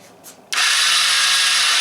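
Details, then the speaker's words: Chinese 110cc quad with no spark, owner swapping wires by trial without a schematic: a sudden high, steady electric whir as the starter spins; no firing or compression beats heard, owner unsure the engine itself is turning. "spins the starter so I know it doesn't go there"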